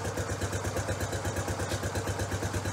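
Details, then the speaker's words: Honda CT Trail 90 single, still warm and unchoked after carb idle-mixture tuning with the air cleaner on. A slow, even putt-putt idle with a steady beat and no misses. A normal, correctly tuned idle. "I'm just gonna start it up and uh let you hear the idol the way it's supposed to be"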